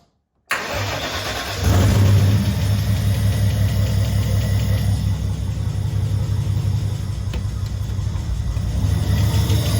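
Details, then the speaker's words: RB30 turbo converted VN Commodore, first start after wiring, fuel pump relay refitted: cranks, catches, then a loud, slightly unsteady hunting idle from an intake air leak; key switch won't shut it off. "So it definitely has an intake air leak, and the key switch does not work, but it runs."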